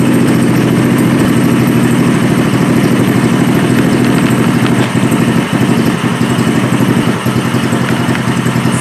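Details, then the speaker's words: Gas engine running on straight Seafoam fed to the carburetor instead of gasoline: fairly even, throaty beat at first, then the firing turns ragged and uneven as it dies out; tuning attempts fail. "sounded good sounds like it's dying out you see if I can attract tuning in a little bit no see phones a fail"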